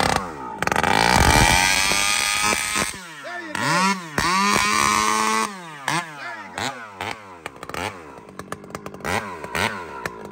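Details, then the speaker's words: Chainsaw fitted with a Ripsaw aftermarket muffler (UFO vs serpent pipe test), high jet cracked back a quarter turn richer, held wide open: it screams flat out for three seconds with a clean, crisp note, then sharp throttle blips rising and falling cleanly; normal and well tuned. "And crack it, just hold it wide open, because that should bark now a bit with that."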